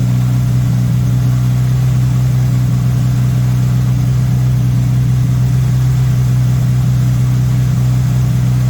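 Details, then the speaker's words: MK1 VW Rabbit with Weber 32/36 carburetor, no choke hooked up: constant low drone holding a fast, steady idle around 2000 rpm; carb idle speed set too high, owner suspects an audible vacuum leak, later set to about 1100-1200 rpm. "so what i'm doing here is i'm messing with the screw this one right here and right now it's suddenly high so you're gonna push it this way"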